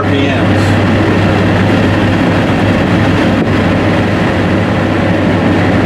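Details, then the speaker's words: 1991 Porsche 944 S2 swapped to a Chevy 6.0 LS L77 V8 with new transaxle gearing, cruising in 5th at about 50 mph under 1,600 rpm; 3-inch mid resonator and full rear muffler give a deep, smooth, even rumble with no drone, rasp or leaks. "a 3-inch resonator in the middle of the car, and then a full-size muffler on the rear. That's what it sounds like."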